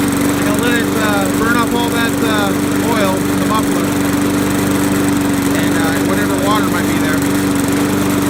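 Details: Trash-picked Poulan Pro mower that was hydrolocked from overfilled oil, running after the fix with idle speed adjusted: steady even buzz without surging, still smoking a little from residual oil.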